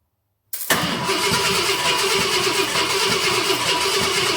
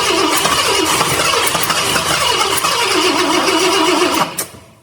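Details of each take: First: 1966 Ford Galaxie 500 XL, 390 FE V8 during a 4-barrel carb and intake swap: even, steady cranking with no catching, grinding or dragging; fuel pump throwing fuel, normal cranking. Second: 1966 Ford Galaxie 500 XL, 390 FE V8 with new 4-barrel carb, floats and needle and seat just redone: fires briefly, dies after about four seconds leaving clicks; carb flooding, fuel gushing out, carb to be pulled.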